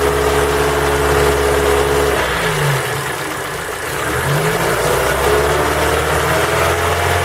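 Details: Ford Focus 3 with PNDA engine, cold: revs then drops to idle with rough, uneven tapping under the drone; engine knock when cold, source unclear.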